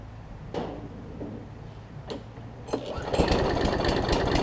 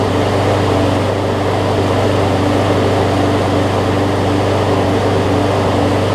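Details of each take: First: About 15-year-old John Deere JA62 push mower, Briggs OHV, sat unused and reportedly leaked gas: repeated pull-start cranking, rough uneven chuff, never fires; not priming, only air heard; gummed-up varnished carburetor, cleaned afterward. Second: John Deere JA62 push mower, about 15 years old, Briggs OHV Quantum-style engine, after carb clean, running unloaded: strong even run with slight rise and fall in speed, then shut down and spins to a stop; mild no-load surge.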